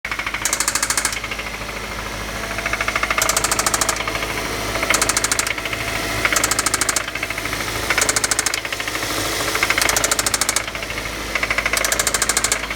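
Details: Engine at idle with spun rod bearing on cylinder 1: sharp metallic knocking in repeated clusters, loud hammering rhythm.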